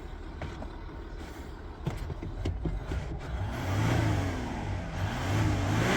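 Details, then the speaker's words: Warm 2011 Ford Territory 2.7L V6 turbo diesel with a dead in-tank lift pump, running after air was bled from the return line. Pulls up smoothly through a couple of strong revs, clean and even with no knocks or misses; normal revving. "It's not stone cold. Don't panic. It has been going. G6 diesels love a big rev."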